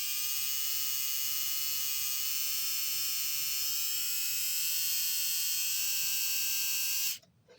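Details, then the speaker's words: Die-cast Alco FA1 model locomotive (unknown make, Varney-like motor), after a jam, with the power turned up: steady high-pitched whine climbing in pitch as it speeds up, then cuts off. Now running much faster. Normal running. "i had to turn up the power a little bit more but it's definitely running a lot faster than it was and it's speeding up as well"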